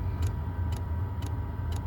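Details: Stock dosing pump of a Chinese diesel heater in a camper van, phone about six inches from the pump inside the access hatch: a crisp tick roughly twice a second over a low steady hum. The pump ticks loudly.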